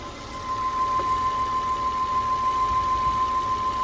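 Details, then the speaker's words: 2007 Volvo C70 T5 convertible, hood open at idle: thin steady whistle around one kilohertz; it stops when a PCV part is removed and returns when refitted, so owner suspects a PCV/vacuum leak, unconfirmed. "the only thing I'm hearing is I'm hearing this little you can probably hear it too it's a little of a whistle oh I'm not sure where that's coming from"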